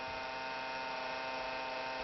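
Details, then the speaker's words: PC where a suspected hard drive noise was found not to come from the drive: steady buzzing whine with fixed pitch over quiet room hum, typical of a worn graphics card fan; noisy graphics card fan. "this noise doesn't come from a hard drive it doesn't come ma yeah you're right about it it doesn't come ma"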